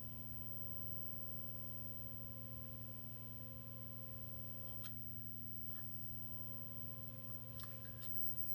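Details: Space Invaders arcade game whose sound isn't working, just powered up: constant low buzzing hum through the speaker with a few faint clicks; the hum stops when the slam switch is activated, like the game resetting. Speaker hum.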